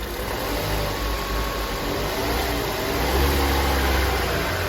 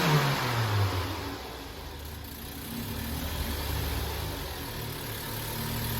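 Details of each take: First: Opel Astra J petrol engine, cold, shakes more when cold: an uneven, stumbling misfire that lurches as it's revved, traced to burnt valves after plug and coil swaps didn't fix it. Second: Opel Astra J at first start after engine repair, with new antifreeze added; it came in with misfiring, oil burning and burnt valves: the engine flares briefly, then settles to a steady even idle with no misses or knocks. Normal idle and rev.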